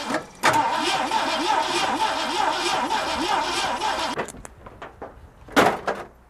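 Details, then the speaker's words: 1968 Mustang California Special 289 V8, compression test with throttle and choke wide open: starter churns with a lumpy, uneven chug and no firing; compression ranged from 59 to 90 across cylinders, engine tired out. "we had compression of 59 on one cylinder and all the way up to 90 on some others that's right and that means what that means that our motor is pretty much tired out"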